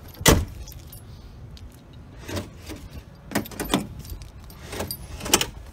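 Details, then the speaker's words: Ford Explorer power door lock that would not pop up, after reattaching a part to the bottom of the rod: a string of sharp clunks, each cycle snapping cleanly without hesitation, about 12 times in a row. The fix works. "I don't know but it works now I mean look we just did it like 12 times in a row"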